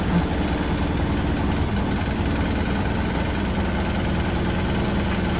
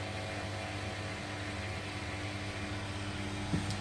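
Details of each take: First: Beko washing machine on fast spin on a bouncy wooden shed floor: deep steady rumble with loose uneven thumping as it rocks, and the floor and a light bang along; the machine is not level and needs levelling. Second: Washing machine drain pump gives a low, steady hum with water flowing and no grinding or rattle, emptying the drum before final spin on a temporary plumbing setup; normal drain pump operation.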